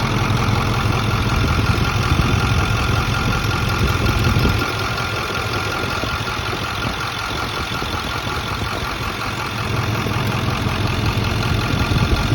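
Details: Ford F250 idling, runs fine: light intermittent clicking about two to three per second, like two spoons clicking, coming and going at idle; cause unknown.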